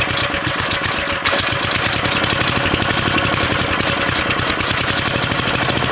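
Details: Briggs & Stratton 13.5 cast-iron-sleeve riding mower engine on bench, rerun with air filter back on after suspected oil in cylinder from engine tilted on its side; fast even firing beat, no misses or knocks, smoke decreasing; good running.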